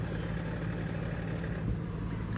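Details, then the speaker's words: GS300 2JZ swapped to BMW ZF 6-speed via Collins adapter plate, idling with clutch not depressed: dense loose metallic rattle, suspected from a press-fit pilot bushing spacer not hammered in, moving between crankshaft and input shaft; new bearings ordered. "right now I'm pretty sure it's in there just moving and rattling around between the crankshaft and the uh the input shaft through the transmission so when the clutch is not depressed you hear that sucker just rattling its life away in there"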